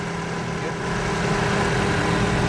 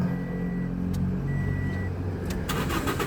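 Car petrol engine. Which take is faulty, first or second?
second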